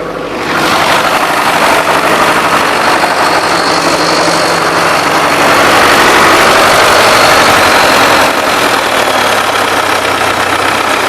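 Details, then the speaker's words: DT-75M tractor diesel, about 20 hours after overhaul, oil pressure somewhat high: steady knock about four per second at idle, inaudible at high revs; owner suspects connecting-rod bearing or piston, upper or lower rod end, possibly stretched rods. "На больших оборотах так не прослушивается. А вот дальше отходишь, да, на малых, и слышно его."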